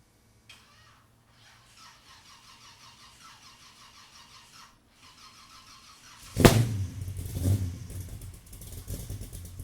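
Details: Engine after a vacuum leak was fixed, recorded from about 40 feet behind the car on a tripod: quiet steady running, then a sharp rev blip that rises and settles cleanly with no stumble or hiss; normal running engine.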